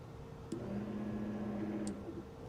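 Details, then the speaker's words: 2001 Ducati Monster 900 that sat for a long time, after new fuel pump and cleaned gas tank, key-on with a 2 A charger connected: a low, steady electric hum for about a second and a half, then stops cleanly; fuel pump priming normally. "I do hear it moving around, so that's not a bad sign."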